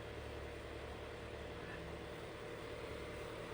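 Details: Unknown 6-inch fan on low speed after tune-up: steady whirring hum with faint uneven buzz under strong airflow; something suspected loose in the motor, moderately annoying fan motor noise.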